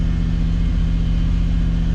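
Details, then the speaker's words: LS-swapped square body 3+3 V8, Holley in closed-loop learning at 165 degrees, battery charger fitted and no alternator; revs varied up and down, then a deep steady rumble that comes right back down, no knocks or misses. Normal idle. "We'll vary the RPMs here a little bit up and down. We'll let it idle for a while. Yeah, it comes right down."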